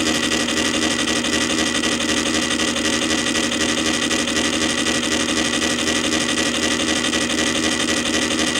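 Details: Columbia Graphophone AH spring motor after service, run without a record; fossilized powdered grease that had caused clanging springs was cleaned out; smooth even whir with a light singing tone at constant speed, no clanging: normal running.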